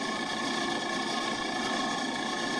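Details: Walk-in freezer that only gets cold when it's cold outside, box at 12°F, after a capacitor change: the semi-hermetic compressor gives a steady, even mechanical rattle-hum with no surging, condenser fan super quiet; running normally.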